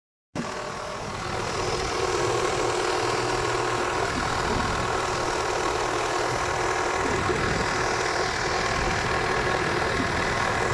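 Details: KIA Spectra 1.6 at cold idle: fairly regular tapping knock, roughly four per second, over the engine's steady run; engine knock when cold.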